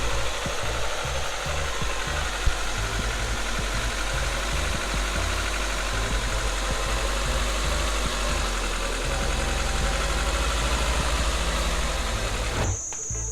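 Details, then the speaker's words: Engine just after a cold start: busy, slightly uneven idle with a light knocking that only occurs when cold; owner suspects a stuck valve adjuster (cam follower), to be replaced, unconfirmed. "So I hope you can hear it, the knocking sound that I mentioned. So it only happens during the cold start, so that's why I reduced it to the valve adjuster being stuck."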